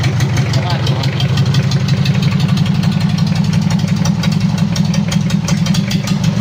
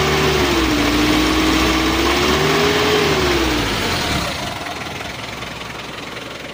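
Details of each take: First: Mitsubishi L300 diesel, post-2010, first start after engine overhaul with upgraded 12 mm rotor head injection pump: loud deep idle with uneven limping beat and irregular knocks; oil pressure 4 bar at idle, misfire caused by fuel leak. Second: Mitsubishi L300 diesel after overhaul with 12 mm rotor head and Panther 2.3 cam plate, break-in standard setting, warm: steady even clatter settling quieter, no smoke, temperature mid-gauge; normal idle.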